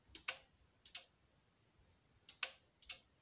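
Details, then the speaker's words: Stereo amplifier speaker protection relay clicking as the A/B speaker selector is switched; channel A's click is softer, then randomly louder, unlike channel B, a sign its relay is worn and almost broken and should be replaced. "it's not that loud as the be but now randomly it's starting to click louder so this is a clear sign that the relay which controls the channel a is uh well almost broken"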